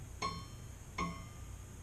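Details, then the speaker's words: Scroll saw blade plucked after the tension arm is tightened; two sharp plucks each ring a clear high note that fades quickly. The blade is properly tensioned, tight and ready to cut. "so here's the tension arm put tension on it now it's ready to cut"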